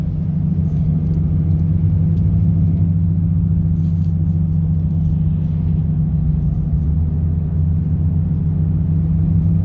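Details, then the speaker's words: 2018 Nissan Frontier driving at road speed, in cabin: steady low hum; owner suspects a bad driver's-side front wheel hub bearing, grinding and humming also heard when spinning the tire; hub replaced. "I don't know if the camera can catch it, but it sounds pretty bad. I'm pretty sure it's a bad hop."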